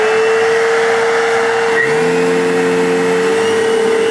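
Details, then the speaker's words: Vacuum cleaner after repair with replacement belt that may not fit properly, test run: steady mid-pitched motor whine, then lower tones join partway; odd noise, though better than before. "works and guess what i don't like that sound but it sounds better than it did sounds a lot better than it did"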